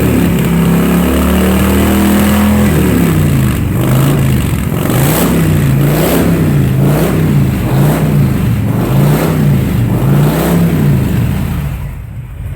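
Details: 2005 Honda VTX with Cobra slip-ons, upgraded air intake and rejetted carb (DJ200 main jet, needle slot 4), warm: deep twin rumble rising and falling in quick throttle blips about once a second, clean pickup and return; normal revving.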